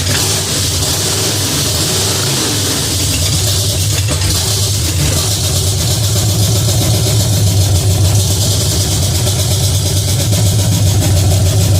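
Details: Pontiac 350 V8 in a '50 Pontiac gasser after changing plugs and adjusting the idle screw, makeshift coil wire: steady, even low idle with a deep, smooth burble, no misses or knocks; normal idle, runs better.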